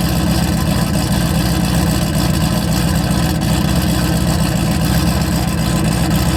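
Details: Single-turbo 2-valve engine just rebuilt with new head work, running well at idle. Steady, even idle with a deep, smooth exhaust note and no knocks, misses or surges. Normal healthy idle.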